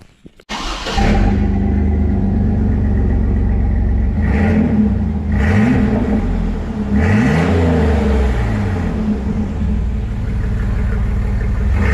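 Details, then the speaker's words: Stock 4.3 V6 2003 Chevy S10, 269,000 miles, started with muffler removed: loud, raw, deep unmuffled rumble from start-up through a few revs, not terrible, has a tune; straight-pipe exhaust. "[Music] not terrible it's got a tune to it for sure"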